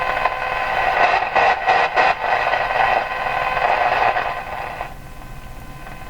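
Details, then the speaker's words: Canadian Spartan Model 5542 radio after capacitor replacement for motorboating: scratchy static bursts and crackle as the band selector is switched to shortwave and back, then settling; dirty band switch. "and we go to the short wave dirty switch there we are let's go back again the switcher ah switch a"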